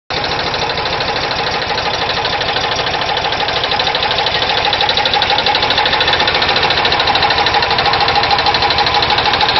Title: VW Type 4 engine knock